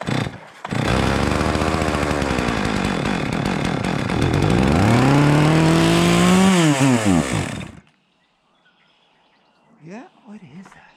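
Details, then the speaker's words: Chainsaw, preparing for spring: runs rough, pitch sweeps up and sags, then cuts out near eight seconds; it bogs and won't keep running. "oh you boggy no bug no it just runs in bogs at the best you can get it run for like a minute or so"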